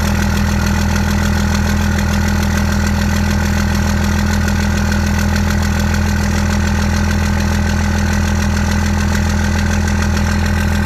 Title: 2nd gen misfire